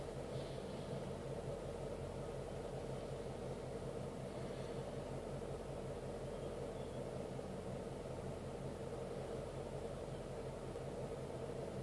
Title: 2012 Mustang Gt- Rough Idle?